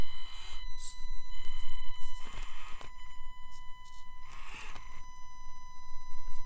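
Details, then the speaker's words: Axial AX24 XC-1 on its stock ESC, needing almost half throttle to move and then lurching ahead, mic turned toward the truck: steady high electronic whine over the motor with uneven surges. Stock ESC whine and poor low-throttle response, later cured by a Furitek Lizard. "and also the noise that the ESC makes that whining noise is just so obnoxious"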